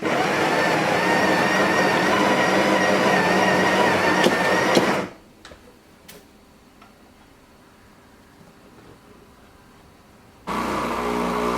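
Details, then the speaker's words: Home espresso machine brewing a shot: loud, steady, rapid buzzing pump drone at about four pulses a second that stops abruptly and restarts; the owner says it is making weird noises, cause unclear. "Also, my espresso machine is like making weird noises. So, if you hear that, I'm so sorry."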